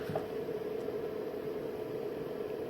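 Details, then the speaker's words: New 3000W 60V inverter running a house load around 1500W, staying cool at about 21–22V; faint steady hum with soft fan-like hiss, none of the loud buzzing the previous unit made (suspected bad MOSFET); normal inverter operation under load. "definitely not making any of that loud buzzing noise that it used to make that's awesome"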